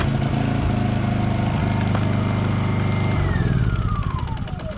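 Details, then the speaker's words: Honda EU2000i companion inverter generator, about 100 hours, formerly wouldn't run from neglect, restored with a new carburetor: catches quickly, settles into a steady, even drone that eases down smoothly; normal start and run. "And we've restored it with a new carburetor for $29, and runs like brand new again, and it's only got 100 hours on it, so you can see it was probably pretty abused for those 100 hours."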